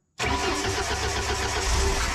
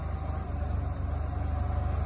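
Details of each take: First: Boom lift engine with rebuilt carburetor, choked, fuel in the bowl from the last run: the starter cranks and cranks steadily for several seconds without catching; hard starting. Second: Boom lift gasoline engine (carb rebuilt) after the platform was changed: steady, even low idle with no misses or stumbles, though the owner is not sure it is fixed.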